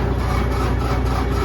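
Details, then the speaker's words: Built-in generator on a 1994 Spartan fire truck keeps turning over with a steady low pulsing drone but never fires; it shows out of fuel, cause not confirmed. "We have not been able to get the generator fired off. Not sure. It shows us out of fuel, but it does spin."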